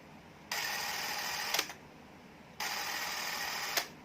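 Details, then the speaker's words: Fujica ZC1000 film camera after battery compartment corrosion cleaning, switched to run: two even, steady high whirs ending in crisp stops; the motor and film drive run smoothly and healthy. "Okay, I'm going to switch it to run green right here. Initialization, it sounds good."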